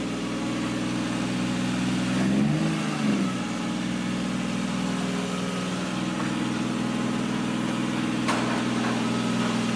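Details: Kevin's Nissan 240SX S13 with 1JZ engine and CD009 gearbox, running again after working out kinks and fixing the tach: steady even idle with one quick rev that settles cleanly; normal idle.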